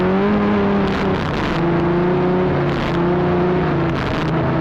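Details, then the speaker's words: Arctic Cat Cheetah 440 two-stroke snowmobile bought for about $50, previously running rough, now riding with the camera on the dash; crisp buzz climbs and settles cleanly with throttle, no misses or knocks. Normal running. "but it's running great it's running really good"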